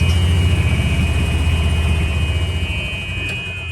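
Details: 2008 Club Car Precedent golf cart, Kawasaki FE290 engine, test drive after replacing the belts and changing the oil to cure a whine when cranking: steady, even engine beat with no rising whine tracking speed; belt drive runs cleanly, fixed.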